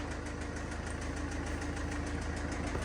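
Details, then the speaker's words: 2012 Range Rover Evoque 2.2 SD4 diesel, front-end crash damage with affected radiators, just bought at a Copart auction: idle with a loud, uneven knock about three times a second over the low rumble; cause unconfirmed. "Mamă, te bate, bă. Bate. Nu-i da bună."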